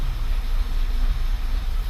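Low, rough idle with irregular dips in the beat every half second or so, the uneven stumble of a misfiring cylinder. Cause suspected, not confirmed.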